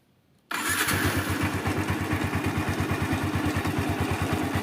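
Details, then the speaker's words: Yamaha Vixion motorcycle engine idling with a light metallic rattle, a jingling "klitik-klitik" on the left side of the head near the water pump housing, traced to a worn camshaft bearing. "jadi terdengar seperti gemericik atau klitik-klitik di bagian sebelah kiri di daerah rumah water pump ya"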